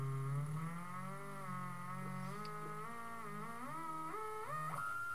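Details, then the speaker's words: NEMA 34 stepper on ST-M5045 microstepping driver, 24V supply, Arduino potentiometer speed control, no load on shaft: clean singing tone climbing in steps from slowest setting, no clicking or missed steps; normal unloaded running. "you can see we can go quick and we can go slow and the important thing is we can go between them with doesn't seem to hear any sort of clicking or problems it can handle it fine because there's no torque on it"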